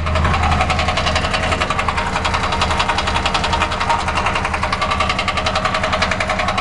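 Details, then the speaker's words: 2006 Crown Victoria Police Interceptor, drive-by-wire, microphone near the catalytic converters: uneven, shivering idle with regular puffing tick about three a second; rough idle, cause not found. "i'm right at the catalytic converters yeah it's running but as you can see the engine is shivering"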